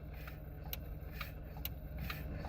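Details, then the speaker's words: 2003 vehicle that would not shift out of park, quiet cabin: faint sharp clicks roughly once a second as brake is pressed; shift interlock solenoid heard actuating normally, so interlock solenoid is working. "so I can actually hear the solenoid activating to allow remember guys this is a safety feature you should not be able to put your car in gear if you're not on the brake"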